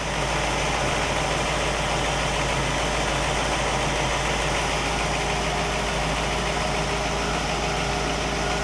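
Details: Warm 1960 Pontiac Catalina 389 V8 at idle on a Heathkit IO-20 ignition oscilloscope: even, steady, unbroken idle with no knocks or stumbles; ignition found spot on, healthy engine.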